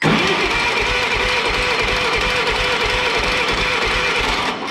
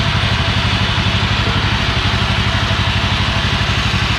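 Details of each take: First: Old Yazoo commercial zero-turn mower with 76-inch deck, sat in a barn for years, non-original ignition: even starter cranking at about five beats a second that never fires; turns over fine but no spark. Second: Old Yazoo commercial zero-turn mower twin-cylinder engine, after sitting in a barn for many years, fires and thumps steadily at about three pulses a second with no misses; running healthy.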